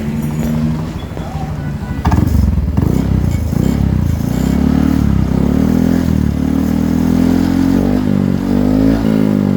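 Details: Yamaha TZM two-stroke after its damaged exhaust was repaired (broken neck fixed, new stainless tip): revs crisply and settles into an even drone with no rattles or blowing leaks. Normal exhaust note.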